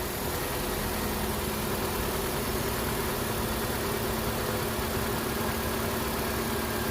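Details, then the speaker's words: Nissan Sentra after AC compressor replacement, idling with max AC while the system is charged through the low side: a steady drone and faint hum as the compressor cycles on smoothly. "You can hear the AC compressor come down and that come on, and you can hear that go down."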